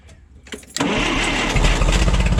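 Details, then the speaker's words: Cheap used forklift after ignition troubleshooting found a bad spark plug: after a quiet opening the small engine fires and settles into a steady, even run with no stumble or misfire; runs much better, normal running. "sounds like she runs a heck of a lot better let's take that wire away again and see what happens"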